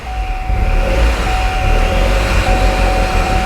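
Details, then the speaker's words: 2009 Chevy HHR SS turbo engine held on light throttle, low uneven rumble struggling to stay running, then stalls; left intercooler pipe sheared clean off causing a massive boost/vacuum leak, probably post-MAF; rough idle from intake leak. "efly but it's got a massive boost leak which is also a vacuum leak so the car is not happy at idle so i gotta keep my foot into it for just a second"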